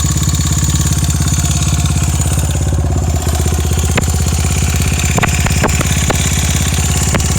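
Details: Honda Ape (エイプ) 82 engine at idle: low, lumpy idle with a steady beat and a few sharp ticks breaking through; abnormal engine noise, owner unsure whether it is normal, source unclear.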